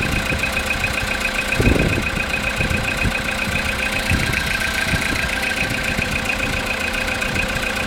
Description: Стук в двигателе после запуска после ночной стоянки. Если погазовать то становиться тише. Пропадает после 10 минут прпогрева или после 2-3 минут поездки.